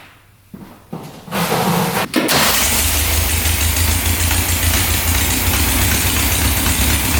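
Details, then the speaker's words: 1967 Volkswagen dune buggy, non-runner revived, cranks, catches and settles into a heavy, slightly lumpy idle, smoking; automatic choke not turning off, stuck closed, running rich; owner guesses it should open once warmed via a sensor. "Smoking right now. Let me open up that valve. The choke was not turning off, so that must turn off once you get this engine warmed up, because it looks like it's attached to here, which I'm guessing is what opens and closes the choke butterfly, and then that's connected to here."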